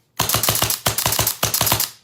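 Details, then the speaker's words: Autococker paintball marker timing check: hammer drops, cocking cycle starts and stops, then reset. Rapid string of about a dozen sharp, evenly spaced cracks in under two seconds, each cycling cleanly; timed correctly. "Hammer drops, cocking cycle starts, cocking cycle stops, all right? And then you're back to reset."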